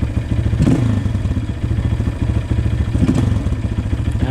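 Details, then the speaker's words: 2003 Honda CRF230F carbureted single-cylinder after changing needle clip position and cleaning the needle: thump settling into an even idle with quick blips, picking up cleanly; normal idle. "All right, we changed the needle club position and cleaned the needle. Let's see how it starts and runs. Sounds pretty good"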